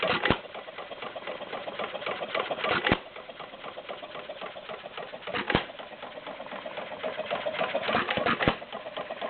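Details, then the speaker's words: Warm Stover CT-2 hit-and-miss engine, 2–2.5 hp, choke fully open, about 500 RPM by tachometer: sharp firing bang about every two and a half seconds with soft valve and governor ticking while coasting, very little smoke; healthy running. "once it warms up it doesn't really need that it runs fine with the choke fully open very little smoke runs pretty good"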